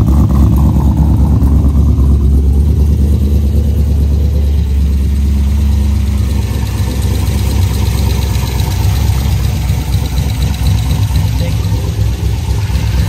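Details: Corvette LS engine first start after Cam Motion Titan 5 cam swap (232/238, 113 LSA) with 660-lift springs: deep choppy V8 idle, uneven lope about two beats a second; healthy big-cam idle.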